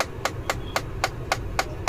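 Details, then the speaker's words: Tata Altroz base model at ignition on, noise from inside the AC dashboard: sharp plastic clicks ("kat kat") repeat about four times a second over a quiet hum; the recirculation mode actuator is faulty and skipping. "जैसे ही ignition on किया मैंने तो यह आवाज जो आपको सुना cut cut cut cut cut cut"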